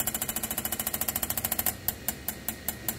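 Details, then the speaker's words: Johnson Evinrude E-TEC outboard fuel injector on a test bench with a dedicated driver, run at 1600 rpm then 2500 rpm across duty cycles: loud, rapid regular pop-pop clicking that then slows, the normal pressure-building sound of a healthy injector. "so very noisy injectors it's half your engine noise is those injectors operating the e-tec and the fixed injectors are both very very loud"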